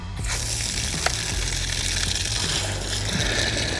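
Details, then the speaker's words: RV travel trailer fresh water pump running during dewinterizing: even low hum with steady rapid chatter under rushing water from the open low point drain, no knocking; pump runs normally. "That's good. I can hear the water pump running."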